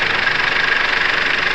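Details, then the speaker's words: Perodua Viva with unstable rpm and power loss but no fault codes, injector checked by stethoscope at idle: fast, even ticking with a steady high tone behind it; clicking regularly, so fuel, injectors and wiring ruled out. "Ini oke. Jadi semua minyak, injektor, wiring, oke."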